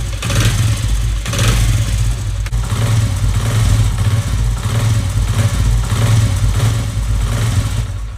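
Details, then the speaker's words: Motorcycle clutch side after replacing loose clutch damper springs: steady, even low engine rumble with no rattle or pulsing, the same whether the clutch lever is pulled or released; normal running. "तो friends यह देखिए आप चाहे कांच पकड़े हैं या छोड़ें हैं आवाज में वह एक तरह की रहेगी ठीक है"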